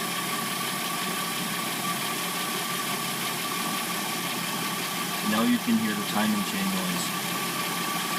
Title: 2006-09 Sonata Replacement Engine Noise when warmed up